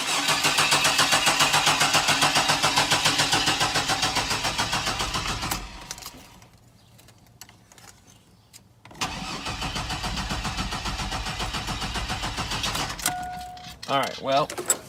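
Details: 1999 Chevy Blazer, 141,000 miles, rough condition, fuel gauge jumping: steady, even cranking about three and a half beats per second over two long tries, never fires. Crank, no start; running out of gas suspected, not confirmed.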